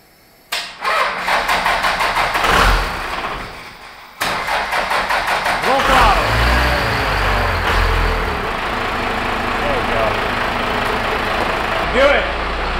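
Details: 1978 Ford F250 body swapped onto a 1997 Dodge 3500 12-valve diesel hotshot truck, abandoned for years, brakes just working again: rhythmic starter cranking, a pause, then catches quickly and settles into a steady even diesel idle; healthy start.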